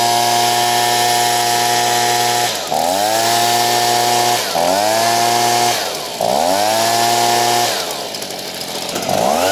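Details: Stihl BG55 two-stroke leaf blower, hot after crank seal replacement and carb screw set at 1.5 turns, formerly bogging when warm: screams at full throttle, dips briefly and snaps back without bogging, normal high-speed running.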